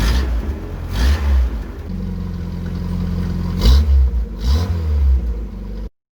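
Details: 1981 VW Rabbit with 1.8 swap, after installing 4-2-1 dual downpipe and thrush muffler to fix a suspected front manifold leak; deep even exhaust note through several quick blips and a steady hold, no puffing or ticking: normal exhaust note.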